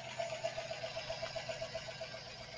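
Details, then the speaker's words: 4.8-liter engine idling just after start: light regular tap about four per second at idle, worse as it warms; oil pressure light comes on at warm idle, goes off at 2000 rpm. Cause not yet confirmed. "you can hear the tapping noise and that engine tapping noise doesn't sound so bad at the moment but as the vehicle warms up it gets worse"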